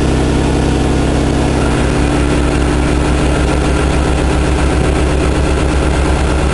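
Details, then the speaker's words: Buick Park Avenue idling after fitting a used replacement muffler, hammered on and clamped with the front held by wire; deep, steady, quiet, sealed exhaust with no rasp or leak, though smoky, owner wonders if from cold. "yeah that ain't loud at all nice and quiet pretty smoggy though I wonder if it's just cuz it's cold or what"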